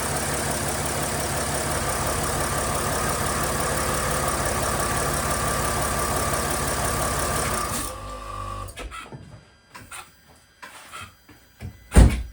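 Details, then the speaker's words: 2012 Mercedes GL350, OM642 3.0L V6 diesel, 160,000 miles, cold start just after new OEM INA tensioner: loud metallic clatter for about eight seconds then shut off; timing chain rattle, full chain replacement ultimately needed. "Okay, so we heard that rattle. I was expecting that. That was probably a worse rattle than I've ever heard."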